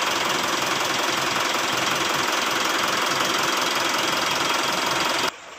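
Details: 2009 Mitsubishi Pajero Exceed diesel with a lack-of-power and heavy-throttle complaint, test after intake and injector-bore work: loud, steady, even roar under throttle with no misfire or stumble, then clean cutoff; running healthy.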